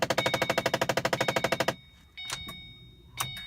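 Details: Car that won't start after driving through a big puddle in rain: rapid even clicking about ten per second, engine never turns over; lights work, owner thinks not the battery, cause unconfirmed.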